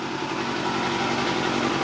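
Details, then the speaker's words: Vintage Yamaha 250 motorcycle, first start after sitting 10 years outdoors, after reconnecting an unplugged ignition coil, with no coolant in it: smooth, fast, buzzy steady running with no misfires or rattles. Normal running. "no way it's got no water it's got no water that's crazy man man I'm impressed this Vice was in for 10 years"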